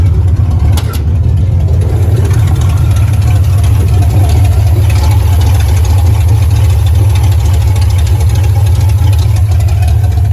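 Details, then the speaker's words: Car idles deep with a slightly uneven throb. Still below optimal fuel pressure and not running as smooth as it should. Rough idle. "like it's running okay but it's a little sluggish and as you can hear it's like the idle it's not that smooth though"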